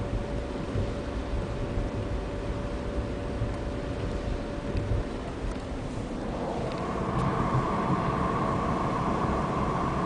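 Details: Stock VW 24v VR6 with 02M transmission, 120k miles, driving: thin steady whine over road rumble, most obvious 35–40 mph and gone after 47 mph, pitch rising with speed change; cause unconfirmed.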